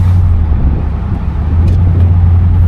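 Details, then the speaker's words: 1975 Buick LeSabre convertible, 350 V8, automatic, on a road drive. Deep, even engine drone at steady cruise with no belt squeal, knock or odd noises from under the hood: normal engine at cruise. "And, as you can hear, she'll cruise perfectly with zero issues as well."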